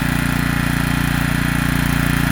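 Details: Generac 3500XL generator, long stored, started with the choke off and burning something off. An even, rapid but rough, unsteady pulse that won't hold and stalls shortly after starting. Owner unsure whether it is running out of fuel.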